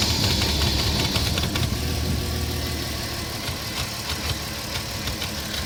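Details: 2004 Porsche Cayenne 3.2 on LPG, engine cold: uneven clattering rattle over a rough-running idle; noisy when cold, cause not pinned down.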